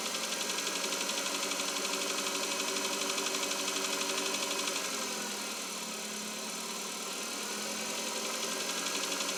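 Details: 2021 Chevrolet Cobalt, cold engine at idle: light, even ticking knock about four per second over the engine hum; source not pinned down, cause suspected, not confirmed.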